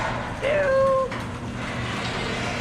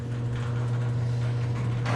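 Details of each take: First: Very old garage door in motion: a sharp squeal about a second long rises over the door's rumble, from worn rollers, before the rollers are replaced. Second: Very old garage door after replacing its rollers and greasing the hinges with lithium, previously sounding awful. The opener hums steadily and evenly as the door travels, with no squeal or roller chatter; normal operation.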